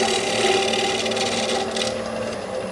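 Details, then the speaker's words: Lathe hollowing the inside of a 9-1/2" cherry bowl mounted with hot melt glue: a harsh buzzing rasp with ringing tones as the tool chatters, the vibration heard just before a catch. Remedy is to change tools or speed and keep the tool rest tight to the wood. "that noise the vibration noise you heard which i'm going to leave in the video just prior to me starting to sand is the sound of what wood sounds like right before you're gonna get a catch"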